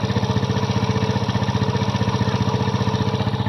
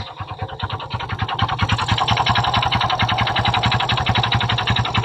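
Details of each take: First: Kymco Visar 110 scooter engine after fitting a new crankshaft and connecting rod assembly: even, steady put-put at fast idle, the earlier connecting-rod knock gone, bottom end smooth and healthy. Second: Kymco Visar 110 scooter engine before repair: fast, steady, evenly spaced knocking over the idle from a worn connecting rod, later cured by fitting a new crankshaft assembly.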